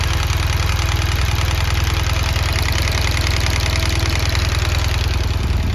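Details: 2017 BMW R1200GS Rallye, 29,000 km, dealer-serviced, totally cold engine at idle: steady tick about two a second from both cylinders; owner unsure whether it is the compressor or the rocker arms.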